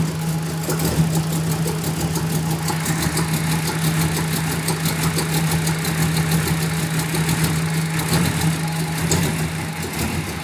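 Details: 1994 Ford Mustang V8 idling with a steady low drone but an uneven, stumbling pulse running through it; rough idle, cause not yet pinned down.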